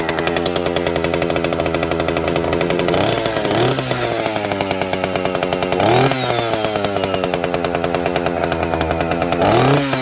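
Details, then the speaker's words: Vintage Stihl 041 Super saw, a little over 70 cc, started cold; crisp steady idle with three quick clean throttle blips picking up and dropping back smoothly: normal running. "So this one's cold. I'll fire it up and let you listen to it, let you hear it run. They're awesome sounding saws."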